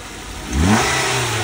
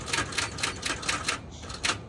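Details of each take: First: Ford Focus at auction, started with a jump: the engine catches, revs up cleanly and settles to a steady idle with no knocks or rattles. It sounds healthy. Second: 2013 Kia Sorento on a jump box: rapid sharp clicking about four times a second when trying to start, with no cranking or engine catching. Seems unlikely to start.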